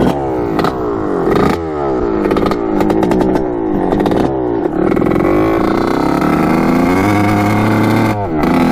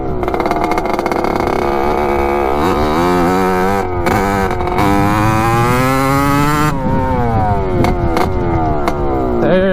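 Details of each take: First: 1986 Kawasaki KX125 two-stroke on its first ride with engine mounts just tightened: blubbers and stutters as it revs, never cleaning out to a crisp crackle. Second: 1986 Kawasaki KX125 two-stroke after a loose carburetor part was tightened and the float height fixed, now running a little leaner: crisp, clean revving up and down, firing evenly, responsive, with no bogging; runs as it should, if a little loud.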